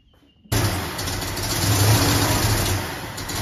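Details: Carbureted Ford Mustang at first start, drawing air under a 1-inch carb spacer fitted with the wrong gasket; crew suspected jets too small: catches after cranking and runs unevenly with a wavering, stumbling note; vacuum leak, possibly not hitting on all cylinders.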